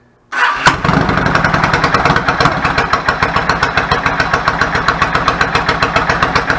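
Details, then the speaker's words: 1999 Yamaha V-Star 650 Classic, 650cc V-twin with twin carbs and 16K miles, after sitting unused and having clogged pilot jets cleaned: started on choke, it catches quickly and settles into an even, thumping idle of about three to four beats a second after an idle adjustment. "the idle adjust smells a lot sounds good settles back of it I'm fine with it"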